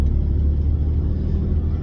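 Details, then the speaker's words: Car driven over bumps after fixing a front suspension clunk, in a video that also covers an intercooler install: steady low road rumble with no knock or clunk coming through. The front suspension sounds tight and quiet. "let's go no clanking I hear everything that is going on here in my car but no clunking"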